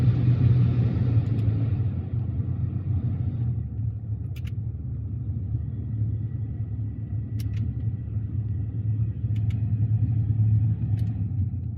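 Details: BMW 5 Series F10 550i V8 turbo, cabin blower under the bonnet after removal, cleaning, filter change and refit to cure a humming/noisy ventilation at high fan speed: even, low airy rumble that steps down then holds steady with faint ticks; blower now normal.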